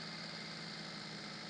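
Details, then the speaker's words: Maruti Suzuki Alto, engine bay, after fixing over-racing high idle: restarted, settles to about 750–800 rpm with a smooth even idle and steady hiss, no hunting or surging; normal idle. "ഇപ്പൊ വണ്ടി correct ആയിട്ടില്ലെങ്കിൽ ഏകദേശം ഒരു 750 800 RPM ലോട്ട് വന്നിട്ടുണ്ട്"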